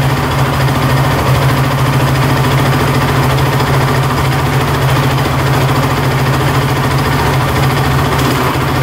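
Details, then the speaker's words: Honda TRX450 quad that bogs and won't rev out, just started; busy, rapid metallic chatter in the top end riding on the single-cylinder exhaust beat, not running right; top-end chatter. "you can hear a lot of chattering in the top end see if he fires back up but yeah it's not running right for sure"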